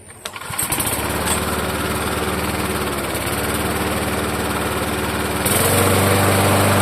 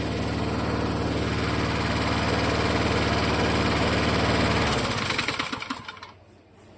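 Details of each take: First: Vintage Toro mower after the loose blade bolt on the crankshaft was tightened: starts quickly and settles into a smooth, even drone with no knock or clatter, throttle picking up cleanly; the knock was the loose blade. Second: Vintage Toro mower: runs with a rhythmic knock that is heard at startup and becomes more distinct as it coasts down after shutoff; knock from a loose blade bolt on the crankshaft.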